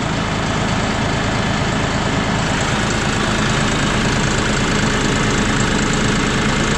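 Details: John Deere 5067E/5045E diesel tractor after a fuel filter change, system pumped to purge air: steady, even diesel idle with a smooth low chug and no misses or knocks; engine running normally.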